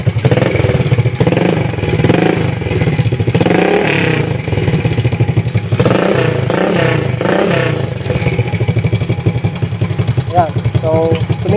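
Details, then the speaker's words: Rusi 100 motorcycle that backfired, started hard and had no steady idle despite cleaned carburetor and new throttle cable: after fitting a C7HSA spark plug it starts on one kick, idles and revs cleanly without backfire; light engine clatter remains, spring still pending replacement. "siya non. Wala na yung backfire sumandar siya. One kick t natin o one kick yon."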